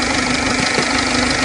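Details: A 2006 1.4 TDCi diesel idles with a steady mid-pitched drone and faint rhythmic knocks over the clatter; something is off, cause unclear.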